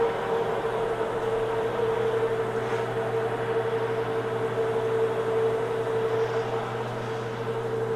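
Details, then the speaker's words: Homemade hobbing attachment gearbox on its first run under power at dead slow speed, without oil; steady, even mid-pitched hum with no knocks, grinding or binding; runs normally. "slow under power for the first time that's not bad I'm going to run the speed up just a little bit doesn't seem like it's binding anywhere"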